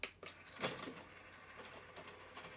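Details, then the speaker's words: 2001 Sony CMT-CP300 hi-fi after loading belt replacement: light irregular clattering and ticking as the CD changer searches and shuffles discs; busy mechanical patter normal for this unit. "these units are quite noisy as you can hear it's perfectly normal"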